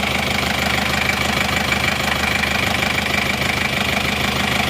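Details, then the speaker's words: 1990 Chevrolet Trooper diesel, 34 years old, after engine overhaul, warm at 75°C with new thermostat: steady even idle with light regular clatter, no misses, no smoke from oil filler or exhaust; healthy. "ini suaranya halus dan renyah dari sini gak kelihatan asap juga"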